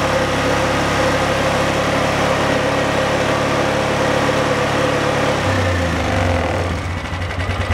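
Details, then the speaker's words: Polaris 500cc single-cylinder ATV starting after installing an RM11512 improved FF97 flywheel rotor; it fires up into a steady even idle with no rattles; battery reads upwards of 14.6 volts, so charging output and regulator are fine; normal start and idle. "perfect, we see upwards of 14.6 volts, which says that we're getting good output from the charging system and the regulator's working fine, holding the voltage down."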